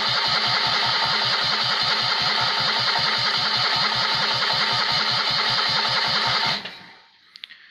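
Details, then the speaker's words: Rebuilt Citroën 2CV engine converted to 652cc, Solex twin-choke carb rejetted, no exhaust, first start attempt: even starter cranking with no firing; ignition points wet from washing the engine bay, no spark; timing possibly off, float bowl empty. "we weren't getting a dead ignition that light was just staying on the all the time and it's because it's still wet in here from when I was walking down the engine bay"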